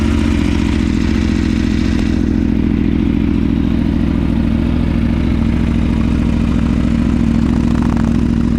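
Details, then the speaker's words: Aprilia Tuono V4 first start after valve clearance service, fresh Mobil 1 10W-40 oil, cranked 20–30 s to build oil pressure: lumpy idle with brief cam chain clatter at first, fading once oil pressure built up. "there was a little bit of uh chain clatter initially but that went away when the oil pressure built up"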